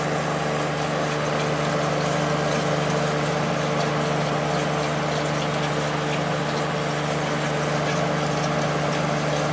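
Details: Late-90s Whirlpool Accudry 40-pint dehumidifier (reciprocating compressor, likely Embraco, Emerson fan motor), running open after evaporator fins combed: steady, even hum, constant low tone and soft fan rush, no knocks; coil cold top to bottom, discharge line very warm; healthy.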